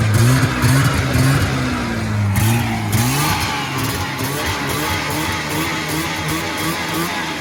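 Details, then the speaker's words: 1980 Yamaha SS440 Exciter snowmobile two-stroke, revived after sitting about 20 years, fuel primed after a cracked fuel line, throttle still a little sticky; it blips and settles, pitch rising and falling cleanly with the throttle and firing evenly, running healthy. "so she started it up she was running good um so I guess I'll set you guys down and we'll get her started up for you here and show you guys how well she's right"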